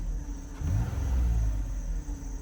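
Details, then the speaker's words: 2007 Toyota Highlander with a rattle complaint, after several possible rattle sources were fixed and a small exhaust leak was suspected. Revs rise and fall with a smooth, even rumble and no rattle. Normal revving, problem solved. "no noise at all all right problem solved on to the next job"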